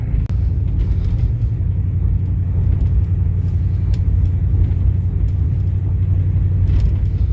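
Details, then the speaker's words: 2000 Mercury Grand Marquis driving, temperature gauge flashing: low engine drone with uneven, stumbling beat and power cutting in and out; suspected intermittent misfire, possibly limp mode from a perceived overheat. "You can definitely hear acting funny. Can you hear it? Definitely sounds like it's misfiring."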